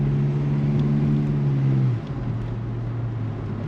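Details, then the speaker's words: Mk2 Jetta just lowered on new suspension, driving over bumps: steady road and engine drone with revs easing off, no clunks or rattles; suspension sounds tight and feels more responsive. "and I don't hear any weird clunks rattles nothing like that"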